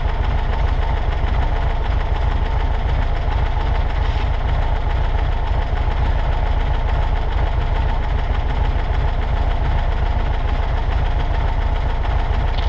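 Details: 1963 Volkswagen Karmann Ghia air-cooled engine, first run in over 10 years after parts replaced: steady, even low chug holding speed with no misses or stumbles; normal running.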